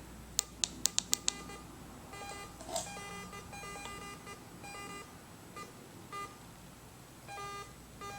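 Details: Garrett AT Pro metal detector, retested after a beach hunt with the same settings and the coil off the ground: five sharp clicks, then scattered irregular beeps at a couple of fixed pitches with nothing near; false signals, owner suspects a bad coil.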